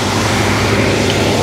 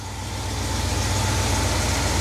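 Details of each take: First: 1971 Cadillac DeVille 472 V8 with a rebuilt Quadrajet, after adjusting the high idle and reconnecting the vacuum advance: a steady, even high idle with a smooth exhaust note as the advance kicks in; normal idle. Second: 1971 Cadillac DeVille 472 V8, first start with the rebuilt Quadrajet carburettor: a steady, low idle that creeps up slightly. The rebuilder set the fast idle too low. There are no fuel leaks; the owner suspects remaining idle shake is internal to the engine.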